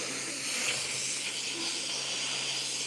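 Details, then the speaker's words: SATA Route 66 Limited Edition RP 1.3 paint spray gun: constant sharp air hiss, no motor; air leaking at the fittings, which are the wrong fittings. "So what I was saying is, when y'all hear that leaking, these are the wrong fittings, right?"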